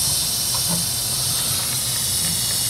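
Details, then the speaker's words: 2007 Ford 6.0 L PowerStroke diesel, cranks but won't start: valve cover off, high pressure oil system under shop air test, mic turned away; steady hiss of escaping air, leak in high pressure oil circuit, location not yet identified. "so I got the mic flip flip it around so you won't be able to hear the hissing as much"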